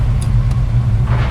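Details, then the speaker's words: 1990 Ford Mustang 5.0 V8 track car, odometer showing 20,000 miles (possibly replaced): deep, steady, throaty, even exhaust rumble with no knocks or ticks, a healthy five-liter rev. "oh man that sounds good you can't ever beat the sound of a five liter that's unreal"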